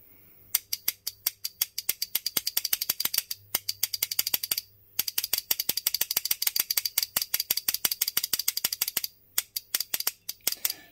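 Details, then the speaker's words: WARN winch solenoid pack retested after repair: rapid crisp clicking bursts, five or six a second with short pauses, showing the solenoid is switching freely again. "Cool. Oh, look at that. Definitely got some movement there now."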